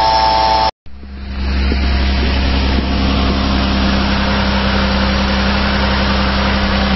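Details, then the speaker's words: 2008 Mazda Tribute 3.0 L V6 at idle: constant whirring drone over the firing, bad pulley/fan-belt-like noise before repair; worn 203-FF bearing in the serpentine belt idler pulley, later replaced. "I have some really bad pulley noise, like fan belt noise, and I'm going to see if I can fix it today."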